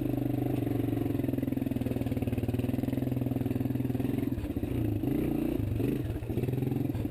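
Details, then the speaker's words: 1993 Suzuki Quad Runner 230 ATV after replacing loose front motor mount, fixing bracket and refitting sprocket guard: single-cylinder thumps evenly under light throttle, revs rising and falling, no rattle or shaking; vibration gone, running smooth. "That was definitely the fix because it's not vibrating anymore."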